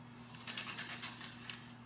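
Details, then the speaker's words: CR250 front wheel with aftermarket brake rotor, turned by hand after caliper rebuild: light dry scraping pulsing with rotation; rotor rubbing and shaving the caliper, cause suspected spacers or rotor incompatibility. "still grinding so we now know it's either those spacers or the rotor"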